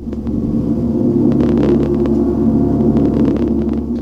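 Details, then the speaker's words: Homemade amplifier with two LM383 chips driving computer speakers, bass-heavy DVD menu sound turned up past about 270 mV: rough, crackly, gritty clipping distortion; owner suspects a weak power supply. "you can hear just how smoking terrible that sounds"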